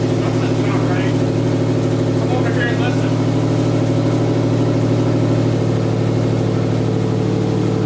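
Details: Subaru EJ257 boxer first start after head gasket and cylinder head install: catches and settles into steady even idle with low uneven burble, no knocks or ticks standing out; owner then says it sounded weird.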